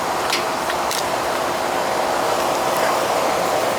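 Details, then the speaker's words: AC condenser fan after a miswired, weak capacitor was replaced; the fan had run backward, likely since new: steady, even rush of air with no scraping, wobble or rattle; fan now spins smoothly in the correct direction, normal. "Before the fan was going the wrong way. Probably been like that since new. See how it cools now."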